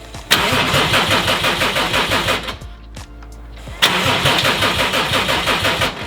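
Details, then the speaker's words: Subaru STI with Haltech Elite 2500 ECU, first start with no coolant: two spells of steady cranking that never fire despite RPM signal, air and fuel smell; no spark to the coil packs, ECU found sending constant 12V on cylinder 5 ignition output. "we know it's getting air we can smell the fuel so we're pretty confident it's getting fuel it's just this it's not getting spot well not that but the spark the coil packs are"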